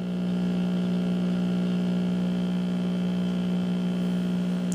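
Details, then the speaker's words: 1959 Westinghouse five-tube AM radio, 117 V: constant low hum at one pitch that doesn't rise with the volume knob; owner suspects the main dual-section filter capacitor, not confirmed. "the hum this hum right here now that you're hearing doesn't get any louder if i turn up the knob"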